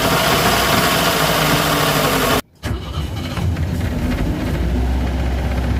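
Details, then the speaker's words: Boat inboard engine catching and running steadily after a complete rewiring, with cooling water squirting out the back, so the pump works. After 30 minutes it reaches 140 degrees, oil pressure holds, and the ammeter has a problem. "I can hear the water squirting out the back, so the pump's working."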